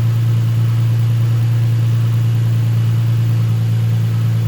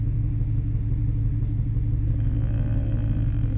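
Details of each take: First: Nissan 350Z after fix: steady, even engine hum with gentle rev rises and no skipping or popping. A cylinder four misfire code was traced to a bad spark plug after coils were swapped. Still smoky from burning oil. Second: Nissan 350Z idling with a cylinder 4 misfire code, check engine light on and heavy exhaust smoke: deep uneven lumpy beat about three per second.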